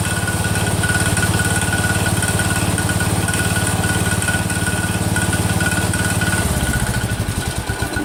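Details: Cub Cadet 102 with freshly rebuilt Kohler engine, first cold start: steady single-cylinder beat with a light regular click on every turn, traced to a worn front pulley coming apart, not a loose rod; pulley to be replaced.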